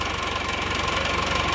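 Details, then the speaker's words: Isuzu Panther diesel, cold, after broken-crankshaft rebuild, pump timing backed fully off: fast even idle clatter with slightly harsh rattly edge, normal smoke; mechanic suspects the injection pump, not the engine, cause unconfirmed. "Kalau menurut saya ini suaranya agak kasar dikit. Ini bukan suara dari mesinnya, tapi saya rasa ini adalah suara bospomnya ya, berasal dari bospomnya, karena bospom itu juga bisa menimbulkan suara"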